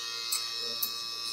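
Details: Andis Phenom clipper after blade adjustment: even, high steady buzz with no rattle or chatter; blade is set correctly, unlike the rattle heard when the cutting blade sits too far out; normal running.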